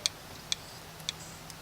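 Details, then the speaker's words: 1996 Honda Accord burning heavy oil since head gasket job: shaking the removed PCV valve gives light sharp ticks about twice a second, a loose internal rattle; owner will clean or replace it, cause unconfirmed. "I'm actually hearing a rattling maybe it is clocked nah I'm gonna go clean this out again I should just get a new one if this thing clogs"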